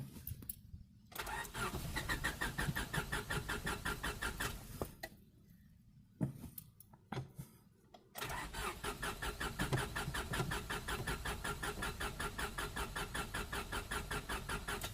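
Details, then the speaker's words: 1998 Honda Civic EX, D16Y8, five-speed manual, restarted after sitting with fresh gas and priming: catches, runs a few seconds, dies, catches again and cuts out; stalls after starting from fuel starvation due to failing fuel pump. "this point I know it will run I just have to get it to stay running sit for a bit longer"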